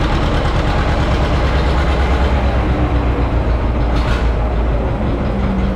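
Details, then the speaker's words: John Deere 530 two-cylinder tractor, started after battery trouble: a slow, deep, loping putt-putt, steady and unbroken at idle; engine running normally. "Oh, you can't beat it, old 2-cylinder John Deere. Love that sound."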